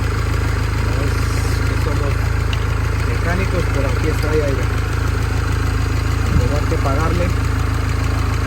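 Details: Mini Cooper S R56 four-cylinder after timing chain replacement: steady, even idle under background music, with no rattle or chain slap; healthy-sounding.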